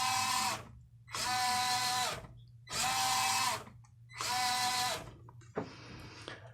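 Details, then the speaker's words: Traxxas TRX4M stock Titan brushed motor on low-range crawl gearing, launched across the bench: four short bursts of whine that climb fast and level off at a steady high pitch, topping out quickly with little wheel speed. "If we just set it up like that and launch it randomly across the bench, you should be able to see and hear the motor tops out really quickly, and it doesn't have a ton of wheel speed to it."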